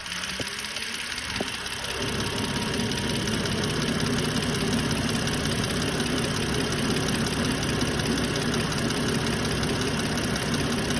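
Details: BMW 530i petrol engine at idle: hard, fairly regular ticking, roughly three ticks a second, over the running noise.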